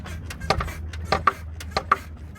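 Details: Sharp, irregular knocks about every half second over low road rumble, one per bump, while driving over bumps and speed bumps; cause found to be a broken strut top cup/boot, fixed by replacing the struts.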